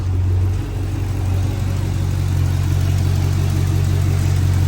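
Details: 2010-2014 5th-gen Camaro after replacing fouled cylinder 2 spark plug for P0302/P0202 misfire and clearing codes: steady, low, even idle hum with no stumble or skip; normal idle, misfire fixed.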